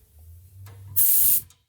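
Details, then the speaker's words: Old Worthington shop air compressor: short sharp burst of high air hiss under half a second, then quiet; over-pressure relief valve leaking, worked up and down and turned to reseat until the leak stopped. "that over pressure valve was leaking a little bit so I just kind of turned it and moved it up and down a few times to relieve the pressure and turn the valve a little"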